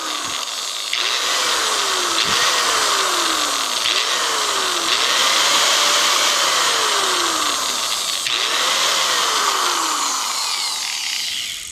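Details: Bosch angle grinder with intermittent on/off fault, after cleaning switch terminals (wires, carbon brushes, commutator checked OK): high steady whine rising and sagging with the trigger, running without cutting out; switch may still need replacing.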